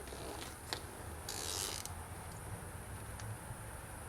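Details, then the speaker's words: Briggs & Stratton lawnmower, mower deck: irregular creaking, scraping and brief rough grinding over the engine rumble. Worn deck spindle bearings adding slight load. "There's some bearings worn out in the motor deck, but that's only a little bit extra load actually. I should note the bearing numbers and order them because that sound is not great."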